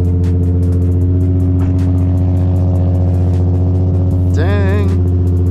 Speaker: let's start this one up so it's warm and we're ready to go cold start sounds good though